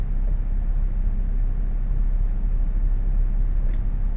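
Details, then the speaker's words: BMW X3 F25 with N52N engine just after oil change: low, steady, even idle rumble with no ticks, knocks or surging once oil coats the engine; smooth healthy idle. "it's gonna take a second, but then it'll smooth out and it'll quiet down. So it should sound like it does right now, which is perfect."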